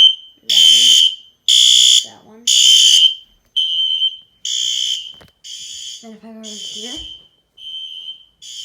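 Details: Fire alarm system test, horn with red strobe (model unknown) mounted low on a wall: pulsed high-pitched horn blasts about once a second, some fainter near the end; alarm sounding normally.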